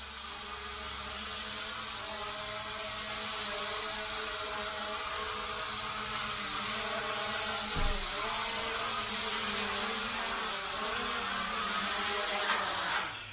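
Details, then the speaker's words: Hubsan H502E GPS quadcopter from 2017, rebuilt with new motors after a burnt-out motor (owner thinks front-left), hovering indoors in a garage; steady, even high whir with small pitch wobbles from GPS-lock twitching and no grinding or rattle; motors sound smooth. "seems pretty good on the new motors you can hear the ball bearing seems pretty smooth"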